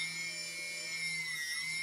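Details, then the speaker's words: TBS Discovery quadcopter, TBS 900 KB motor after tape balancing, throttled: clean steady high whine with an even low hum, no wobble or buzz; it looks, feels and sounds good. "looking looking and feeling quite good it sounds good too so I'm quite happy with that"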